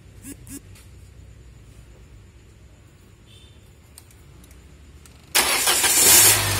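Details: Engine started after its ECU/ECM was unlocked: a few quiet clicks, then it catches at once and runs up to a strong, even idle. It starts and runs fine.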